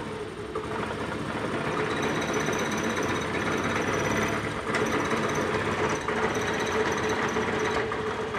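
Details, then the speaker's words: Maestro scooter at idle before servicing, with strong engine, body and handlebar vibration: rough shaking chatter at about four beats a second. "तो इसमें बहुत सारी vibration की problem तो हम इसका सर्विसिंग करेंगे"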